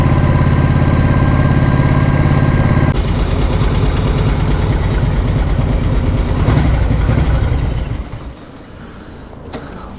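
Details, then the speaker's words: 1937-40 Matchless Model X 990cc side-valve V-twin on a ride after two years fixing poor starting and running, started second kick: steady even thump under way, easing smoothly as it slows; running cleanly. "Okay, early indications are very good. Running really nicely."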